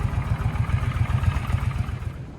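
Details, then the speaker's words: Suzuki Boulevard C50 800 cc motorcycle after carb clean, new plugs and fuel line: low, uneven chuffing at about seven beats a second that weakens and fades out; fuel starvation because the tank is bone dry. "it's just out of gas so let's put some gas in it I was like I can't believe this thing's not running very good it almost sounds like it's starving it is bone dry"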